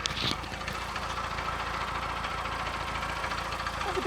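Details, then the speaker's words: 2001/2002 VW Polo petrol, 88,000 miles, cam belt believed fitted: steady idle with light busy metallic rattle on top; owner unsure of source, maybe a loose exhaust heat shield, unconfirmed; engine rattle at idle. "That's a bit rattly, doesn't it? It's not got a timing chain on these. I don't think."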